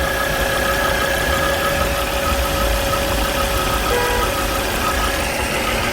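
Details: Volvo C30 gasoline engine at idle: a steady high whistle of two or three fixed tones that earlier repairs didn't cure; traced to a failed PCV oil trap (crankcase breather).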